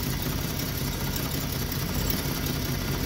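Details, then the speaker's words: Free Jeep six-cylinder with a new distributor and new plugs: uneven, stumbling low idle beat with an occasional missed pulse, and one reading is very low versus about 500 on the middle one, so one cylinder is still misfiring. "so it seems like it's still misfiring"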